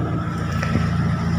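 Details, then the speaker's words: Kia Sephia / Timor DOHC engine started and idling after reinstalling the repaired starter (was sticking); steady, even idle, smooth low rumble, no misses or knocks; starter fully working, normal idle. "मतलब है कि यह सफल है, दोस्तों, ठीक है, स्टार्टर पूरी तरह से चालू है,"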